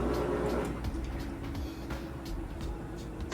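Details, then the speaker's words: Kenmore Super Capacity Plus top-load washer, medium towel load, high-speed final spin with the lid lock bypassed. Quiet, fast, steady whir with no knocking or grinding: a normal spin for a healthy washer. "okay High Speed final spin cycle it's been nice and fast and just one more time reiterate with the lid lock bypass there we can lift this up otherwise it'd be locked for you at home as you can see it's spinning super fast drains running"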